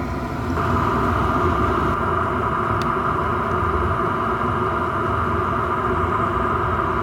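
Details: Chinese diesel air heater running normally at full heat, roasting hot, after restart following four to five months unused; steady, even roar with constant fan hum, no surging or popping.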